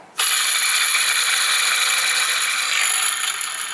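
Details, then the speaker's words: Ford F-150 belt drive, belt removed, tensioner pulley spun by hand: dry, gritty rattling whir fading as it coasts down; worn tensioner bearing, other pulleys sound fine. "call that's that so this one you easily could have done by removing the belt those noise is pretty obvious"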